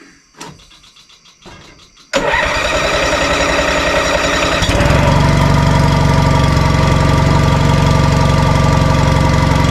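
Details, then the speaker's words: 1987 Honda 3813 lawn tractor revived after years abandoned, after an earlier timing problem, with no radiator fan, clutch or throttle cable fitted; brief cranking, then it catches at once into a very low, quiet, steady idle with no smoke; normal start and idle. "man just listen to that thing per thing is so quiet and it can idle down so low that is amazing"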